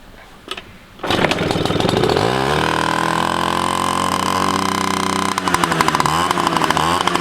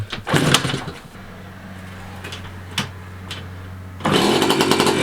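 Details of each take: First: 1985 Yamaha QT50 scooter after fixing the ignition key switch position: catches after a second and revs with a crisp, even two-stroke buzz that tracks throttle cleanly. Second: 1985 Yamaha QT50 two-stroke scooter, first start after sitting, spark confirmed: fires in ragged bursts only on starting fluid, then fades out; fuel starvation, no fuel getting through, suspected clog.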